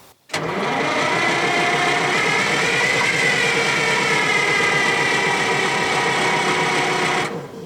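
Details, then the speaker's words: 1968 GMC water truck with an old, tired, low-compression Detroit diesel, cranked without starting fluid or a priming pump in short bursts to save battery: steady, fast cranking churn with a soft, uneven beat, never firing; cause not confirmed. "now does that sound to you like it tried to bend a rod got in shoulders back not trying to start it just trying to save battery"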